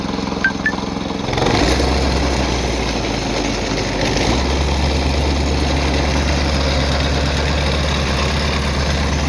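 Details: Plate compactor (vibratory plate) starting after service: oil change, new spark plug, valve lapping and adjustment; short cranking burst then steady, even single-cylinder thump with no misses or knocks: normal running.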